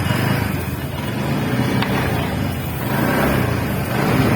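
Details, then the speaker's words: TVS NTorq 125cc scooter at 4318 km after repairing loose magneto nut: smooth even single-cylinder idle with steady low putter, no knocks or rattles. Normal idle after repair. "अब इसका sound सुनाऊंगा sound सुन सकते हैं थोड़ा भी sound नहीं है before sound अभी आफ्टर का"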